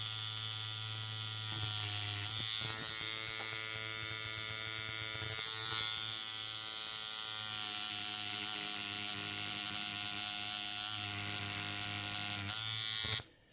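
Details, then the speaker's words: Coil tattoo machine adjusted for a longer stroke with a large gap: a loud, harsh, rapid ragged buzz, needle tearing skin instead of gliding. Suspected to need floating on the skin; the setup doesn't work. "So it just sounds like it's just tearing it up. And it's probably because with this kind of stroke, you really need to be floating on the skin probably."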